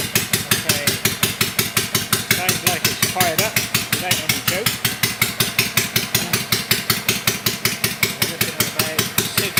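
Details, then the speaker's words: Kawasaki FD620D V-twin in an Argocat after partial engine rebuild (oil pressure light wasn't going out), very cold day; oil pressure not bad. Even steady thumping roughly 160 beats a minute, crisp, no misses or knocks: normal running. "psi. Not too bad. While she's running, oil pressure, not bad."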